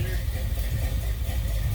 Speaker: you know the problem with these old cars is you can't tell for sure if it's a can or just severely misfire i'm gonna go with nash's got a cannon